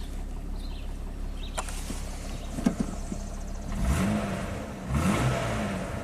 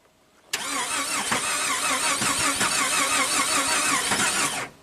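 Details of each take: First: 2002 Jeep Grand Cherokee 4.0L inline six after crank no-start repair and cam/crank sync set near zero: idles then takes two clean throttle blips with no misses, knocks or stumbles; normal smooth running. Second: 2002 Jeep Grand Cherokee 4.0L inline-6 after engine rebuild: steady even starter cranking for about four seconds, never catches; crank signal present, no cam signal, cam position sensor out of alignment.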